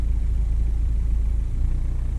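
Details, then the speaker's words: VW Golf/Jetta Mk5 TDI diesel idling while a scan tool cycles the EGR valve between 5% and 95% duty: steady low rumble shifting slightly as EGR opens and closes; engine responding normally. "Basically opening the EGR, fully open, fully closed. That's cool, and you're seeing the effect it's having on the engine speed, air quality."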